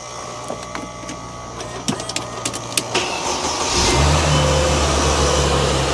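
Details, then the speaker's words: 2005–2009 Mercedes-Benz E350, M272 3.5 V6, started after an air filter replacement: a few clicks, then a smooth, even idle with no whistle or hiss indicating an air leak; secondary air pump heard; normal start-up and idle. "now what you're going to do is you're going to listen for any engine noises any weird whistling sounds which could indicate an air leak so all is looking fine to me right"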